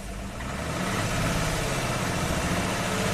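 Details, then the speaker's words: 2002 Jeep Grand Cherokee 4.0L inline-six after rebuild, connections redone and cam signal restored; idle has an uneven lumpy beat with dropped pulses, a misfire suspected from a fouled plug, which later cleaned up to a good-running engine. "Okay, we have a cam signal. Sounds like it has a misfire."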